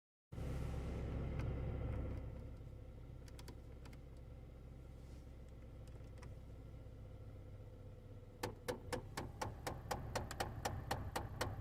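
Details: Chevrolet HHR HVAC blend door actuator with broken internal gears (five gears): steady rapid clicking, about three a second, from behind the dash over a low blower hum; replaced with a Dorman 604109.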